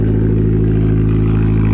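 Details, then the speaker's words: 2012 Fiat Abarth turbo petrol after swapping in a cloned ECU to cure a random misfire: steady even engine note with no stumble, no misfire and no check engine light. "okay so we did make progress it's not no misfire anymore so that's good that's really good"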